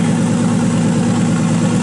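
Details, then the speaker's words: RB26 engine swapped into Subaru WRX, first start on Haltech ECU base map, air-fuel ratio brought from 15–16 down to 12: steady even six-cylinder idle, misfires gone, not yet warmed up. "good. We don't hear any misfires anymore."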